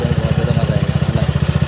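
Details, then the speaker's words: TVS Ntorq scooter, heavily modified, with a loud internal kat-kat-kat knocking, about twelve a second, over a rough low idle before teardown. "आप पहले सुन लो इसका sound कैसा है देख सकते हो अंदर से कैसा cut cut cut cut sound आ रहा है"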